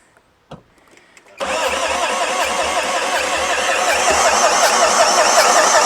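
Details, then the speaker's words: Renault Master van, long-parked non-runner: steady, even cranking at about 160 beats a minute without catching; owner suspects low compression, though some compression is present and the head gasket appears recently replaced. "Don't seem to have any compressions, does it?"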